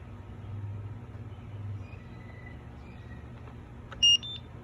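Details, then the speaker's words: Motorguide Xi5 80 lb 24 V trolling motor, control board replaced after water got in and rusted it: quiet hum, then one short high beep as the foot pedal links. Pairing confirmed, the motor then runs and turns. "I'm gonna try to link it. Oh, you just heard it responding to do something."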